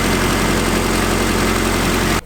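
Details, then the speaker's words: Honda Integra DA9 with turbocharged B20 VTEC engine, first start after new exhaust work: steady, even idle with a deep low hum, no knocks or misfires, then shut off; sounds healthy. "So let's fire this beast up and see what she sounds like, eh? Sounds good to me."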